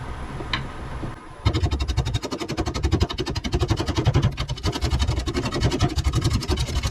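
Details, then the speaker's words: Chestnut oak bowl blank on a wood lathe, badly out of balance, so it can only be run at low speed; heavy rhythmic thumping once per turn shakes the lathe, wall and everything. "But this is too out of balance for me to go too fast. You, the wall, me, everything's shaking."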